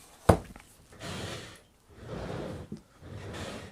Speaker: you can hear that scuffing. It's just a horrible, horrible sound, and it's just the sound of things being damaged, so we don't like that at all.